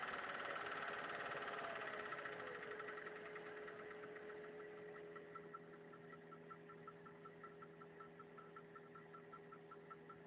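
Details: VAZ 2103 engine at steady idle: even light tap about four per second, clear once revs settle; owner asks what the knock is or whether it's normal, origin undetermined.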